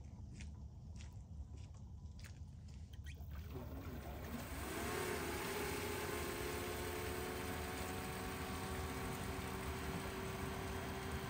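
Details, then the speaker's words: Replacement 48V VEVOR solar pool pump, newly installed and primed with water: spins up to a low, steady hum with water flowing, much quieter than the old pump, on a partly cloudy day without full power. "so much quieter and this is on a uh partly cloudy day too so it's not even going to run at full power but it's pumping water"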